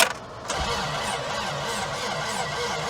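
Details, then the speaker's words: Toyota Previa that sat 18 years, cranking over on starter: even rhythmic chug with each stroke pushing back alike, sounds like good compression. "sounds like compression. As of right now, that is 100 times better than my van."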